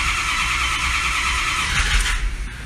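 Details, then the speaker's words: Ford F550 Lariat 6.0 PowerStroke diesel, no glow plug codes, compression sounds good, reportedly smoked badly: steady, even but slow cranking for a few seconds without catching; slow-cranking no-start, cause unconfirmed. "even though the compression sounds good it it'll be fine but it'll show us it's cranking pretty freaking good it's slow"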